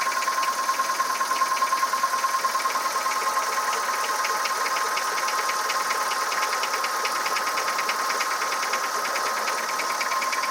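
A hollow, regular knock at roughly three per second rides over the idle, the typical sound of piston slap.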